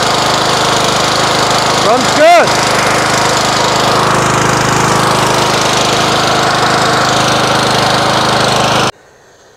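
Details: Craftsman LT1000 riding mower single-cylinder engine after reassembly, valve cover back on with old gasket, started on choke: steady even run with no knocks or misses, then clean shutoff. Some smoke from oil spilled on the exhaust. Runs normally.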